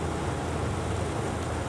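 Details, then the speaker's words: Hitachi Yutaki S 14 kW heat pump outdoor unit (RAS-5WHVNP), compressor running at 82 Hz, 18% short of 100 Hz. Steady, even rushing roar with a low hum and no knocks or rattles. Normal operation. "Posłuchajcie jak to wygląda w sprężarkach tej chwili działa częstotliwością 82 herców"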